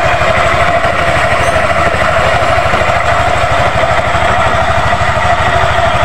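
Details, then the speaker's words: Yamaha NMAX idle, close-up, after replacing the loose V-belt, worn roller housing and roller fan and tightening loose valve clearance: quick, even putter, clatter and knocking gone, belt tight; no crankshaft or boring needed. "Oke rekan-rekan, untuk suaranya sudah bersih ya rekan-rekan ya."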